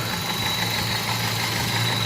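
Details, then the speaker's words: Car with rough, uneven idle and a lumpy low beat: one cylinder is missing because its injector is not firing; spark is present, and the injector ground driver in the engine computer is suspected shorted; misfire from failed ECM injector driver. "Missing है यह injector इसका कम नहीं कर रहा spark okay"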